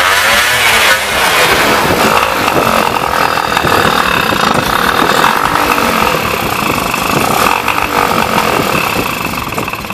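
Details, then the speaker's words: Yamaha Y110SS two-stroke motorcycle after cylinder boring and new piston rings: loud buzzy idle still surging and sagging irregularly; likely blocked carburetor, to be removed and cleaned. "Now its problem is the same as before, idle speed is still unstable. It is very likely that its carburetor is also blocked."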